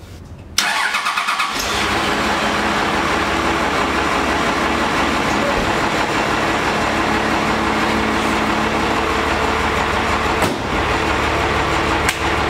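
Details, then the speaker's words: 12V Cummins diesel after fixing a slow-crank problem suspected in the starter solenoid or its parts: short brisk crank, catches instantly and settles into a steady, even idle; cranking and start now normal. "that's how 12 out supposed to start off I am beyond happy with how that turned out"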